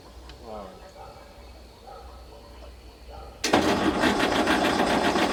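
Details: Galion T500 motor grader diesel, sat since 2007 (14+ years), first start attempt: steady fast cranking with no firing because the fuel shutoff was still closed after pump removal; seemed close to firing.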